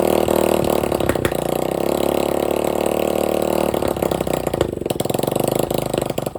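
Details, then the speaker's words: Free dirt bike running with no exhaust pipe and no carburetor filter, with about a six-inch flame shooting out: a raw, crackling bark that sharpens into popping as revs rise and fall. Engine running without exhaust. "so definitely got to put the exhaust on there filter for the carburetor unless he runs there you go see the six inch flame that shoots out of the front of it gotta get that exhaust put on there"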